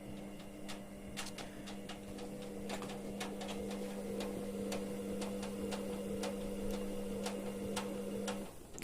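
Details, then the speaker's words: Ariston washing machine running a hot drum-cleaning wash, drum turning about 40 rpm: sharp light clicks about twice a second over steady motor hum; shock absorber bushing worn with play; worn shock absorber clicking. "petit clic clic clic clic vous entendez c'est l'amortisseur là-bas qui est mort qui a du jeu en fait la bague"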